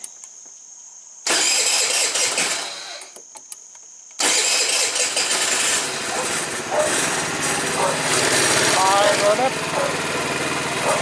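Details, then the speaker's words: 2012 Tao Tao scooter after variator repair: electric starter spins, engine catches briefly, then restarts into steady buzzing idle; starter engages cleanly, much better than before. "That starter sounds a whole lot better than what it did before."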